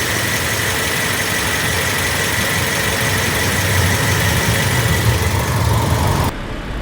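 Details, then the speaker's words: Flood-damaged Toyota Rush after cleaning of water-affected modules (ACM, BCM, immobilizer) and blower: engine idles steady with a smooth low hum, no misses, knocks or rattles; normal healthy idle. "ito na nga mga kasindero, okay na tong Toyota Rush nating ginagawa."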